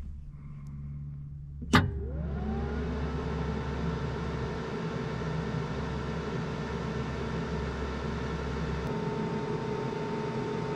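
A click, then a small fan spins up to a steady, even hum that holds its pitch; the panel cooling fans are running normally.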